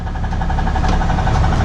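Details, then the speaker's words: 4th-gen 6.7 Cummins diesel drag truck after a track pass, idling: sharp regular knock about ten times a second over the clatter, worse as RPM rises; owner suspects rod knock, source unconfirmed. "new noise definitely gets worse the RPMs increase what well that was the RPMs listen to this and I think that's rod nock"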